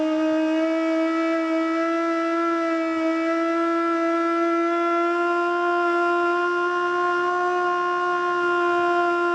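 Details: Older Federal Signal Model 2 siren (old CD box), Princeton NE, alert test: low steady wail hangs at one pitch with slight wobble, never reaching full pitch; owner suspects worn brushes.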